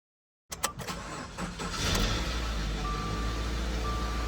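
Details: 2015-2019 Subaru Outback 2.5L after alternator replacement: starter clicks, engine catches within a second, steady even idle, no belt or alternator squeal; battery light off, about 14.2 volts; normal start and idle.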